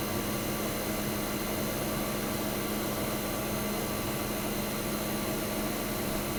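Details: 1965 Fedders Weather Wheel 12000 BTU air conditioner, first spring 2023 startup: constant fan rush over steady compressor hum, no rattles, squeals or cycling; suction line ice cold, discharge hot, output air ice cold. Running healthy.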